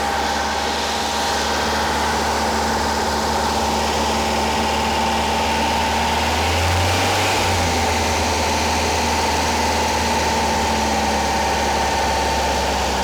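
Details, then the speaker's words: Rebuilt Porsche 912 flat-four in a 911: steady even raised idle, smooth low hum that dips briefly and recovers, no knocks, after timing retarded from about 38 to roughly 31–32 degrees; normal fast idle. "voila i am happy with it it's you know it's running it's running well enough now i got the timing dialed back it was up like 38 degrees"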